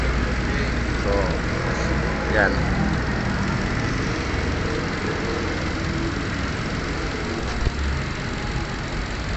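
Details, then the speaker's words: Hyundai Accent after repairing both broken injector wires that caused a misfire and check engine light: even, steady low engine murmur with no misses or stumbles, now idling smoothly. "so nawala na guys yung pamam ng makina pino na yung andar niya yan"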